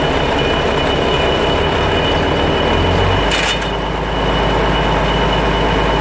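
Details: Mercedes 1113 truck: a heavy, loose-sounding rattle over a deep drone from the transfer case/driveshaft at certain engine speeds, as if something is loose. Cause unconfirmed.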